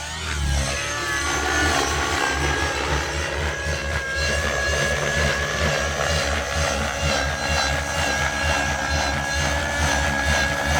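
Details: XLPower Nimbus Nitro helicopter with O.S. .55 HZ Hyper engine, new blades: steady high engine drone and even rotor chop, no stumbles or surging; flying normally.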